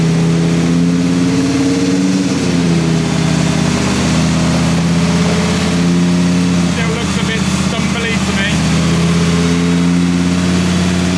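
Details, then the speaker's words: V10-swapped BMW E46 M3 at first start after fixing exhaust manifold leaks: deep, lumpy idle that is still stumbly and misfiring; the ITB airflow was found to be badly out of balance. "Sounds a bit zingy. It's definitely still stumbly, but what I've also done is I'm very familiar with the use of these on all of my cars with silly ITBs."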